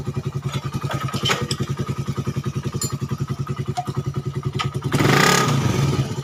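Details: Suzuki Satria FU 150 cc after correcting cam-chain top timing wrongly set by another workshop, which had made it rough, weak and fuel-hungry. The single thumps evenly at idle, then picks up cleanly when revved near the end. Smooth, no roughness.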